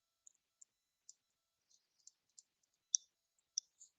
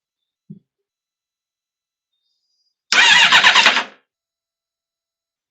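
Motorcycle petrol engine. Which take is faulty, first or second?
second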